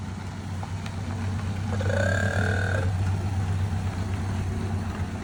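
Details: 1928 Ford Model A Roadster pickup four-cylinder, same setup as a 1930 Model A: low, steady, even beat ticking over at idle with no knocks or rattles; normal idle.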